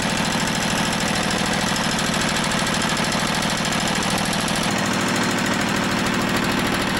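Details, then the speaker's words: Motorized dumper with Briggs and Stratton-type single-cylinder on fresh fuel, clutch engaging: chugs steadily at a fast even beat, then dies; runs fine when fueled; fuel starvation from a fuel delivery issue. "it sounds like it runs pretty good when it's got fuel it's just a fuel delivery issue"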